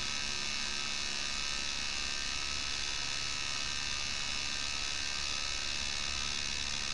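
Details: 1984 D.C. Johnson FAC-1 lambda (fuel/air) control unit for K-Jetronic CIS injection, bench-tested with a simulated oxygen-sensor signal: steady, even electrical buzz with no dropouts or rattles as it drives the bypass frequency valve normally.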